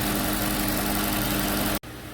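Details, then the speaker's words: 2008 Audi Q7 4.2 V8 with a history of misfires, idling after injector replacement and intake valve cleaning: a smooth, even idle with a steady low hum and no misses. Fuel pressure is about 25 bar; the engine is shut off afterward for a leak-down check. "Well, there it is, back together and running again. We're going to let it warm up and check all the fluid levels, and then we're going to recheck the fuel rail pressure and see if it holds now when we shut it down."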